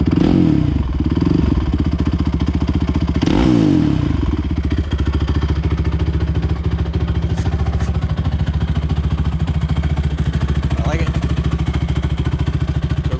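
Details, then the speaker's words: Honda TRX 450ER quad after engine rebuild, road test: crisp even single-cylinder thump pulling cleanly through all gears with no misfire or clatter; running normally under load. "all right guys it's all done right up the street goes through all the gears runs nice sounds good"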